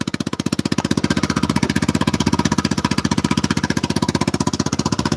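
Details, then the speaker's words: Vespa Super Sport scooter, 159 cc engine, idling: even single-cylinder putter at about four beats a second, steady with no misses or knocks. Normal idle. "That's 159 cc's of pure fury right there, guys. Listen to that beautiful purr. Yeah. Don't she sound purty?"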